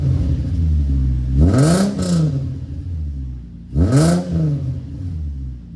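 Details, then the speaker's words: VQ-swapped Nissan S13 240SX with stock headers, no cats, 2.5-inch glass packs into a 3-inch Y-pipe and a muffler with no silencer: two sharp revs to a raspy droning bark, then loud rumbling idle; annoyingly loud. "So, that's what it sounds like now. It's not extremely loud, but it is annoying."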